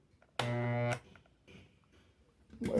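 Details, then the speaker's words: Maytec fan motor, customer reports blades not turning: powered on, the shaft doesn't rotate and gives a low buzzy electrical hum; shaft play shows a worn front bushing, both bushings to be replaced. "Efectivamente, miren, no gira la flecha y hace ruido."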